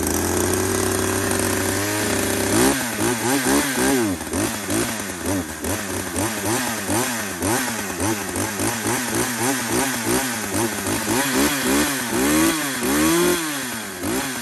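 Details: Poulan 2075C two-stroke chainsaw (about 32cc, 16-inch bar) after a carburetor adjuster mod and tune, cold start at about 15°F: short pull, catches and runs crisply, revving up and down cleanly with even throttle response; normal, healthy running.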